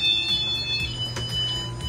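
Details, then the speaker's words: ZF throttle/shift control head on a 46ft Azimut yacht, powered on during actuator programming after a faulty actuator was found. Two steady high beeps over a quiet background, then both actuators communicate with the head. Normal power-up tones. "and now you can hear the two audiable tones so we're going to take command"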